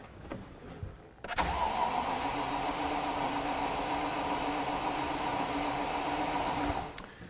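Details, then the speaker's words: 1986 Range Rover, garden find with new fuel lines, filter, pump and sender: starter spins the engine evenly for about five seconds without a single fire despite confirmed spark and a working pump; crank no-start, fuel delivery suspected. "so if you've got fuel and we've got spark we should definitely have bangs"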